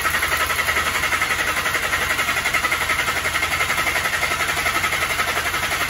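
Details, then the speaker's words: 2014 VW Jetta 1.8L, runs rough and dies, oil overfilled, no metal in the oil filter: relative compression test, cranked with throttle wide open. Fast, even cranking with no dropouts; all cylinders are contributing. "That's good. As you can see, all of our cylinders are contributing. That is good."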